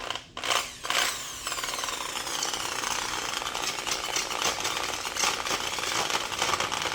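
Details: Old rusted Milwaukee Magnum drill found in a shipping container, gearbox cleaned and regreased: harsh rasping grind over the motor whine, rough throughout; sounds like worn gears grinding, likely junk, cause suspected, not confirmed.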